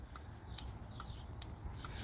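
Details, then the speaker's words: Automotive 4-pin relay in a plug-in relay tester, test button pressed: sharp single clicks about once a second, crisp and consistent over faint hiss; relay switches properly. "So this relay is working fine. Press again and it's working fine."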